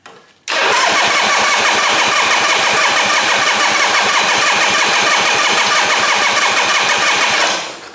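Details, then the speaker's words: 1968 Harley-Davidson generator Shovelhead, electric start, fuel confirmed by smell, fuel off with some choke; starter spins engine at even fast rhythm for seven seconds, never fires; no spark, dead ignition coil. "Alright, so when it's doing this, you want to check it's got spark. So the two things you're going to need is fuel and spark."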